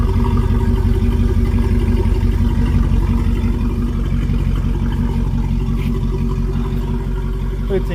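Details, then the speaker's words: 1971 Rover P6 3500S V8 US export, running after fuel pump replacement, no fuel leaks seen: steady even idle, smooth low burble, no ticks, misses or knocks; looks good so far, normal idle. "Let's give it a try. Sounds good. I don't see two on the floor. Looks good to me so far."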